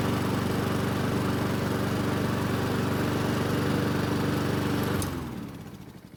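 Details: Honda walk-behind self-propelled mower, picked up free, after repair and service with fresh ethanol-free gasoline: it started on the second pull with no priming, then the small single runs steady and even with a regular firing beat and winds down cleanly at shutoff; running properly.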